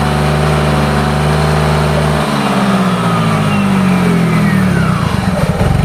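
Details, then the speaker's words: Yamaha Mio GT after repair and the idle control (ISC) reset. Steady idle, then revs climb smoothly with a clean rising pitch and no rough clatter; it is running normally. "Alhamdulillah motor sudah beres semua permasalahan sudah ketemu motor sudah normal"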